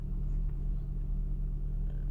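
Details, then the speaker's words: Maruti Suzuki Ertiga petrol/CNG car after fuel pump wiring repair, now starting directly on petrol instead of only cranking; steady low rumble with an even beat while the CNG light blinks before auto-switching: a normal, smooth idle. "देखिए petrol में car directly start हो रही है अभी। और CNG का light blink कर रहा है।"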